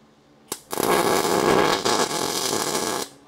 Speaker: That it should sound like sizzling bacon. That's what everybody tells me. And it should be consistent.